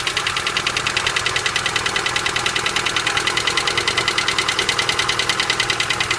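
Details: Hydraulic lifters knocking (стук гидрокомпенсаторов): fast, even metallic ticking about three per second right over a steady idle; noisy hydraulic lifters.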